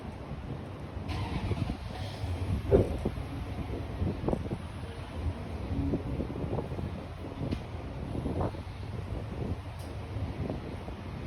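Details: 2020 Ford Explorer, cold engine: low petrol rumble with scattered sharp ticks and clicks at irregular moments; unidentified strange noise.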